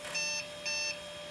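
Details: 1997 Compaq Deskpro 2000 with AMD K6, powered on for the first time in 16 years: two clear high quarter-second beeps at power-up, the BIOS flagging that the system options are not set.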